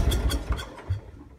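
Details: Lincoln Ranger 250 gas-driven welder after a no-start: the small petrol engine gives a few rough low chugs, fires and runs briefly. Owner suspects a fuel feed problem (pickup tube or hose in the tank) and a worn starter.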